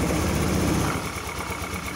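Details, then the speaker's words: Honda Scoopy PGM-FI scooter after piston replacement, oil circulation confirmed: steady, even idle with regular firing pulses and no knocks or rattles. Normal idle. "Jadi ini motor sudah dipastikan aman ya, sudah halus. Kita bunyikan lagi."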